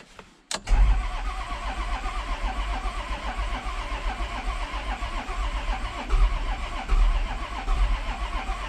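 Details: 1994 Isuzu cab-over diesel truck, sitting for 3 years, cranked after cleaning the battery terminals: steady, fairly brisk cranking with even compression pulses but no firing; cranks without starting, fuel not yet reaching the injectors.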